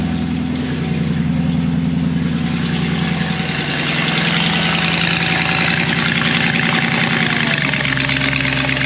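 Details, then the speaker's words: Mercedes C55 AMG V8, first cold start after intake manifold install: idle wanders and stays lumpy instead of settling; rough idle because the MAP sensor was left unplugged. "that was weird well you guys I forgot to plug the map in let's try that"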